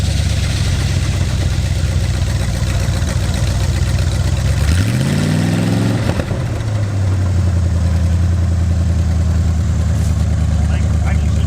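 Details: Plymouth Satellite V8 revived after 35 years abandoned, with transmission and rear end fluid checked. Even idle, one quick blip that climbs and drops cleanly, then it settles straight back to a smooth idle; a healthy engine.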